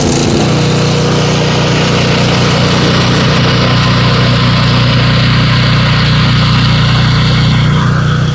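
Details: Propane generator started after topping up low oil: steady, even low hum with no surging, dips or knocks over the whole run; normal running.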